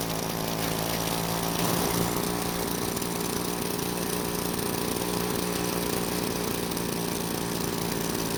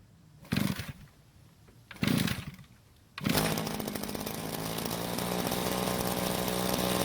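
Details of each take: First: Green Machine two-stroke trimmer: steady high-pitched buzz never settling to slow idle, trimmer head keeps spinning; idle set too high, confirmed once turned down. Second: Rare vintage string trimmer whose head won't spin, started on fuel left in the tank: two cord pulls, then the small two-stroke holds a steady, even buzz with no misfires; engine healthy, suspected stuck clutch, broken drive shaft, bad gearbox or shaft coupling.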